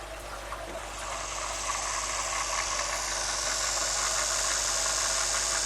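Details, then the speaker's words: BWS 230 angle grinder run on about 7 V, voltage then raised toward 12 V: soft, even motor and gear hiss with no snagging or brush sparking; normal running at low voltage, sparking appears near 20 V. "se poate observa că nu agață nu Flame deloc acuma o să măresc puțin tensiunea la 12 V"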